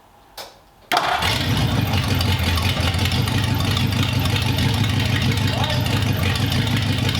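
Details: 1932 Roadster with newly installed engine, original ignition switch rewired to push-button start: brief crank, catches at once, steady even low idle; normal start.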